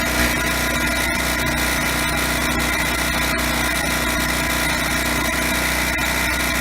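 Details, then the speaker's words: TroyBilt (Briggs & Stratton) generator with 10 hp Briggs & Stratton engine, after DIY carburetor cleaning, running about 10 minutes unloaded without shutting off: loud, steady buzz, no surging or dropouts; still needs a new spark plug. "Okay, it's been running about 10 minutes, hasn't shut off."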